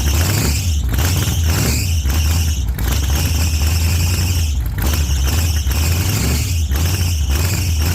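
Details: 1948 Chevy Fleetline small-block V8 (4-speed), started after sitting a while, running a little rich from heavy throttle pumping: loud, lumpy rumble with uneven throttle blips rising and falling, firing steadily.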